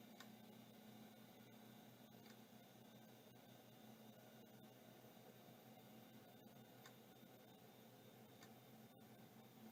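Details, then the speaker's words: Samsung SHD-30560A (Apollo 5) hard drive on power-up: sharp ticks repeating irregularly about once a second over faint steady whir; drive seems stuck retrying and not working, cause suspected, not confirmed. "sadly I don't think this drive is working yeah I think this drive is uh retrying I don't think this is working"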